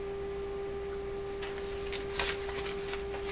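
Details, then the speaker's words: RCA Victor A38 shortwave tube radio tuned to about 5 MHz on the B band, while a strong 1 MHz signal-generator signal is fed into the antenna: a steady mid-pitched tone under faint hiss and static bursts. Spurious reception. "what this is telling me is if you're operating this radio and you're tuned to where it's tuned right now somewhere around 5 megahertz from the b band 91 megahertz signal on the antenna will come out the speaker"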